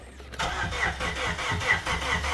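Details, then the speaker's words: Plymouth Neon sat at least 8 years, fuel pump suspected dead, throttle body possibly seized: starter cranks at even chug, about four compressions a second, never catches; crank no start. "so it does crank that's good"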